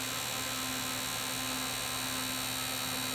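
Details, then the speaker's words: DRSSTC Tesla coil on a roughly 322 V DC bus with a steel coffee-can dummy load replacing the secondary, interrupter pulse width raised: a steady bee-like buzz with a low hum and hissy top end. The system is self-oscillating correctly. "so now you can hear the system itself oscillating and you can hear that classic bee buzzing salmon of the coffee can"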